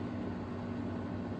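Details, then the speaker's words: 1999 new-old-stock Honeywell twin window fan on low speed: steady low electrical hum over soft fan airflow, from its electronic speed control rather than a quieter winding or capacitor control. "and that's kind of a Telltale sign that this has an electronic or a rat base speed control and not a winding or a capacitor base control because those would be a lot quieter"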